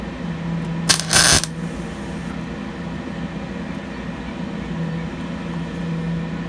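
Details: MIG spot-welding primered bedside panels on a 1953 Ford F250 truck: steady sizzling crackle like cooking bacon over a quiet shop hum, the sound of a properly set weld with a good ground.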